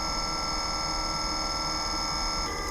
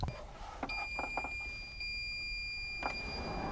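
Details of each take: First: EcoFlow WAVE 3 portable air conditioner in a kei car, cooling at lowest 16°C setpoint on weak airflow, 26.4°C outside; a thin high-pitched mechanical whine rides over the fan hiss, 63 dB versus 46 dB before cooling began. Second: EcoFlow WAVE 3 portable air conditioner after firmware update, cooling mode at 16°C with low airflow, measured about 1 m away; start-up beeps then steady soft fan hum, the high-pitched mechanical noise heard before the update now gone: normal running.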